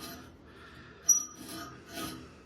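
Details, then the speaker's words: Toro 3150 mower reel head before rebuild, smoked bearing grease, some rust: slow heavy rasping scrape on each hand turn, no free spin; reel dragging tight on bed knife, friction heat smokes bearings. "So, and the other reason is, I know I do got some rust build up on here and it does make it a little tighter, but this is pretty tight"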